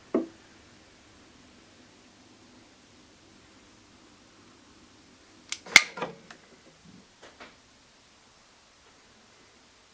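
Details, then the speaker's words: Faint, steady low hum of a circulation pump that had rattled when mounted vertically, now running flawlessly after being remounted horizontally with no other changes; a few sharp handling knocks. "Ich habe nichts an der Pumpe gemacht, das Einzigste, ich habe sie jetzt waagrecht eingebaut und sie läuft tadellos."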